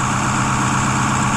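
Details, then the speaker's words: 2010 Ford F-250 6.4 Powerstroke diesel after rebuild, cold weather so it kicks into high idle to warm faster: steady, even clatter at fast idle with no knocks, misses or surging; engine sounds healthy. "Because obviously it's cold out, so it's gonna kick itself in the high idle mode. That way it allows the engine to warm up a little quicker."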